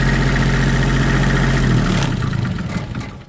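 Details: Allmand Nightlight Pro 2 diesel light tower, after repairing a dirty white wire connection that caused crank-no-start: even chug about four beats per second, then winds down; smooth, normal running.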